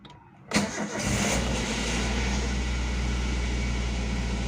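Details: Car started in the morning to warm up the engine: brief crank, then it fires straight away and settles into a smooth, even idle. Normal start, with dashboard warning lights going out.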